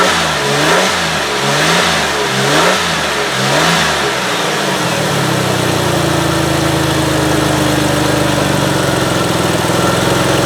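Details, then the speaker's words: 2005 Ford Freestar 3.9L after an engine swap and fixing a crank-no-start: cranks about four seconds with a pulsing starter rhythm, catches, runs with a faint hiss. Brake booster vacuum hose fitting had fallen out. "so it looks like this vacuum hose fitting for the brake booster had fallen out"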